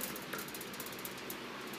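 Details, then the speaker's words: Emerson 77648-SO oscillating fan with blades of roughly 16 inches, running on speed 1: a steady light ticking about four times a second over a soft whir. This is vibration from a bent, out-of-alignment blade. "It's pretty quiet other than the vibration from the fan being out of alignment. That is on speed 1."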